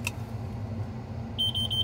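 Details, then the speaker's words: Combine at the end of a Kansas milo harvest, engine surging and derated. Steady engine rumble, then a rapid run of shrill high beeps; stop-code alarm for low transmission supply and main gear case pressure, plus a hydraulic charge pressure switch fault. "I got all sorts of stop codes. Hydraulic charge pressure switch problem. Okay, well now it just killed everything. And it won't, I don't have any hydraulic anything. Transmission supply pressure below normal."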